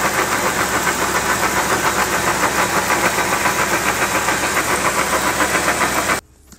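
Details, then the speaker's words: Lifted 2012/2013 BMW X3 F25 in drive with light throttle: rhythmic clunking and grinding at about 3–4 knocks a second from the front axle and differential. The failed front differential appeared to have lost its fluid through a leak, and the owner suspected brakes. "so as we can hear the noise is coming from the front of the vehicle at the front axle which is powering the front wheels those actual shafts that are spinning at the front connected to the front differential where our noise is coming from"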